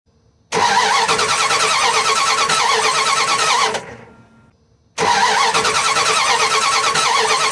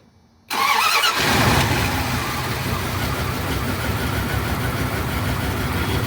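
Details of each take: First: Dodge Ram/Dakota 3.9/5.2/5.9 gas engine: two cranking bursts of about three seconds with a steady starter chug near three beats a second, never firing. Coil is good but spark at the distributor is very weak; distributor suspected; crank, no start, no spark. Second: Dodge Ram/Dakota gas V8 after crank-no-start fixed by replacing distributor cap: brief crank, catches and settles into steady even idle, no misfire or stumble; normal start.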